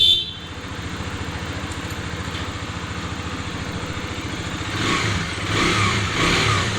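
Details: Bajaj Dominar 250 after replacing the timing chain tensioner under warranty to cure engine noise; steady even idle, clean rise in pitch on blips, no rattle or ticking: normal idle and revving.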